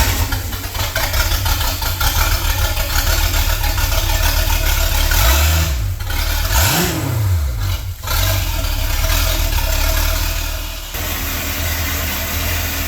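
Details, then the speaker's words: Sea Ray boat with a MerCruiser Chevy 350 5.7 L 260 hp V8 after a power-steering cooler leak check, deep even rumble with quick throttle blips rising and falling cleanly; smooth, quiet, healthy. "the other good news is we get to fire up this 350 with 260 horses of Fury and listen to it sing listen to how quiet that engine is"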